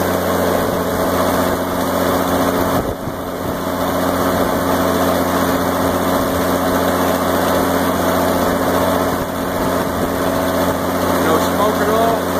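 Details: 1986 Onan 30.0 EK-15R 30 kW gasoline generator with 242.4 hours, 60 Hz and set up for 240/480 V, after start-up: a steady, even drone with an unchanging beat and no knocks or misses. It is running smoothly and healthy.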